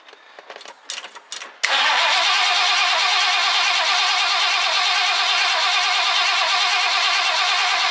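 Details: 1969 Ford Econoline van, last run date unknown, being revived: after reassembly, the throttle return spring refitted and fuel primed, a few seconds of cranking, then it catches and settles into a steady, even idle with no misses or knocks; it starts and idles normally.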